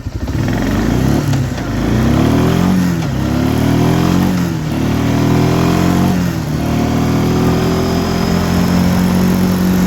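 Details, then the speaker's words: 1996 Arctic Cat Bearcat 454 ATV after bypassing brake switch: strong, clean revving on test drive, climbs and settles smoothly with no misses; runs normally now. "runs pretty good so in conclusion for whatever reason that brake switch had something to do with that running like crap"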